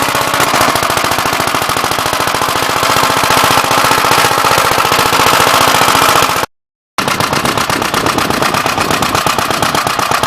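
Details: "Big Blue" 53 L single-cylinder engine after a plate patch on the cylinder, outside on a windy 24-degree morning: rapid, crisp firing at an even three to four beats a second with no misses. The oil pump leaks.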